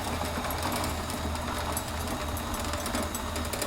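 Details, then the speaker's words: Merantec chain-drive garage door opener running; steady low motor hum with light even chain rattle, no grinding; pretty quiet though travel looks a little slow; normal running. "It's not too noisy. It's actually pretty quiet."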